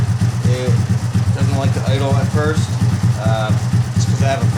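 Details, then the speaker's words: Rebuilt original Honda Grom engine after exhaust valve readjustment, roughly tuned: low, even idle thump with no ticking left; slightly rough idle when cold, settling once warm; healthy. "rough tune done to it once it gets a little temperature in it it huggles fine though but yeah looks like she's ready to go that's awesome"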